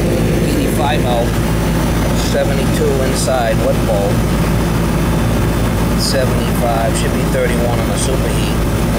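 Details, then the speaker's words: Older Carrier central AC outdoor unit, one of two not cooling a house, after rewiring herm, fan and common leads; steady low hum with no buzzing, clicking or stalling, compressor and fan running normally with superheat on target. "It's good. Yeah, this one's working good. We're right where we need it on a superheat, so we'll check the other one."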